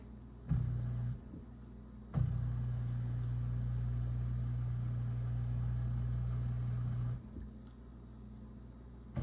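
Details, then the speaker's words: Dishwasher after fitting a new drain pump, water added and drain selected: steady low hum about five seconds, then stops cleanly, no rattle or grinding, tub left dry. Normal drain pump operation. "And yep, guess what, everybody? It is draining as I speak. Sucking all that water out."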